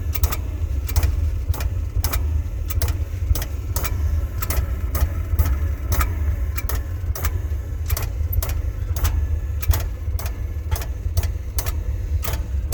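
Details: Oil burner running: sharp, regular click roughly every half second over the steady low roar of the burner; cause unclear.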